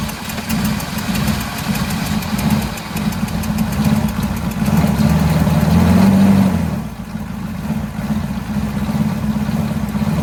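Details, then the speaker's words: 1983 Chevrolet squarebody 6.2 diesel, first start in years without replacing the injection pump, after bleeding air; steady clatter at about four beats a second with a brief rev, a little smoky, good oil pressure; normal diesel idle. "it sounds pretty good dang a little smoky s sorry neighor"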